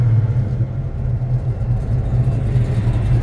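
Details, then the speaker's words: 1970 Chevrolet Chevelle SS pro touring build with a big V8 at idle, right after push-button start with the digital fob. It gives a deep, steady, lumpy rumble with no knocks or ticks, a healthy normal idle. "push the button again and hold it for about 2 seconds one two the car f right up"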